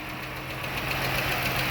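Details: Idling petrol engine with a light, quick metallic valve train tick over a steady low hum; one side is guessed before pulling the valve cover, and the tick is traced to a loose, worn rocker arm.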